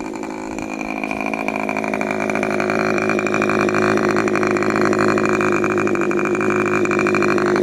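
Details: Rebuilt K&B 40 model 4011 two-stroke glow engine (new bearings, ring, gaskets, hand-honed cylinder), 10% Coolpower fuel plus 4% castor, balanced Master Airscrew 10x6 prop, peak about 12,800 rpm: steady high-pitched buzz at full throttle, no sag or misfire; normal run.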